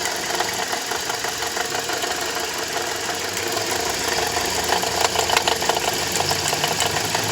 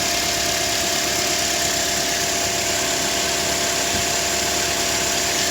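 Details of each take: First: Toyota Corolla E150 at idle: uneven rattling knock about three times a second; owner first suspected the water pump, but loosening the alternator belt showed a broken alternator overrunning clutch pulley with heavy play. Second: Toyota Corolla 150: steady, even idle with a smooth hum and light hiss, no knocking or rattling; engine running cleanly.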